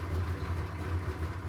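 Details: Suburban 6.2 Detroit diesel idling cold at 25°F after start via manual glow plug button, high idle stick being set: low, even diesel rumble, steady beat, no misses or knocks; clean idle.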